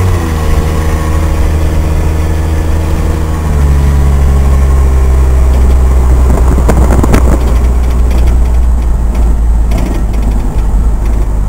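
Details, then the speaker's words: Truck cruising after muffler and exhaust work in a budget restoration: deep, steady low hum under a light engine note, no drone or rasp; cabin now quiet enough to converse, exhaust sounds healthy. "and the awesome part is that it's so quiet in here now that you can actually have a conversation with someone without without having to yell around a lot"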